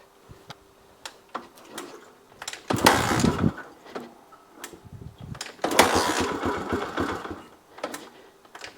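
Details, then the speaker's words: 1982 Honda XL250R single, cold, on a little choke, after oil-leak repair and a new battery: scattered ticks, then two long cranking bursts with ragged firing that never catches; hard cold start. "It's not liking being cold. There we go."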